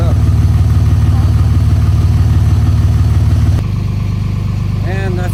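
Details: 2004.5 5.9 L Cummins turbo diesel cold-started at about 25°F after sitting a couple of weeks: steady even idle clatter at about three beats a second, no stumbles or odd knocks; normal cold start idle.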